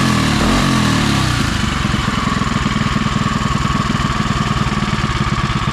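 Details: Predator 212 (Monster 212) single-cylinder in Mega Moto minibike with new thick-flange custom exhaust V2.0 and wrap, warming up: brief rev settling into quick even putter about two hundred beats a minute, sounds really good; normal running.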